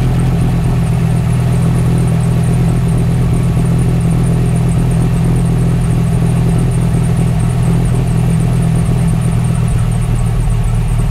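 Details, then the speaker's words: Dodge Ram 1500 SRT-10 Viper V10, first start after sitting a while; steady deep idle with rapid high chirping from the original accessory belt. Worn accessory belt chirp. "one thing you guys probably can hear like the chirping birds under there this thing still has the original belt on it so the original accessory belts"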